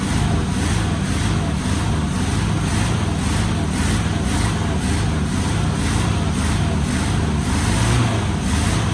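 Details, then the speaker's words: 1973 Chevy K5 Blazer 350 V8 just started after sitting about 30 years, packed with rat debris: a loud, deep, lumpy, stumbling rough idle as it spits out junk and burns acetone off the manifolds, before settling to an idle. "And when we were kind of started earlier, it kind of sounds like it was full of junk. So, let's Oh, that don't sound great."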